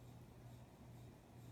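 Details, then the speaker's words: 52-inch Spirit of Saturn knock-off ceiling fan on medium speed, newly fitted blade arms: faint low buzz swelling and fading about every half second over the motor hum; unexplained vibrating sound, cause unknown. "I don't know why it's making that little vibrating sound."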